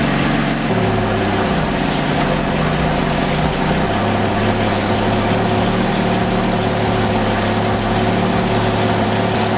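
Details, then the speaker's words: V6 Camaro with new 80mm throttle body and adapter plate, not yet retuned: idle lumpy and uneven, beat wavering as if about to cut off; rough idle pending retune. "So it does sound like it want to cut off bad. It's island pretty rough, but what I'm gonna do is retune it."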